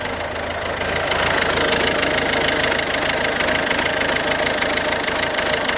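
Steady diesel idle with a loose, uneven knock riding on top, roughly three per second; some abnormal knock, cause not yet pinned down. Cause suspected, not confirmed.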